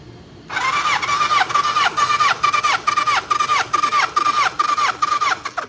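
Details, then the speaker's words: Kawasaki ZN1100 compression test, starter cranking: even compression pulses about 140 per minute, no stumble or hiss; readings about 160, 170 and 145 across cylinders, healthy. "Well, you can hear it get to the point where it kind of stops. You don't want to sit there and keep spinning it, because you could hurt the starter"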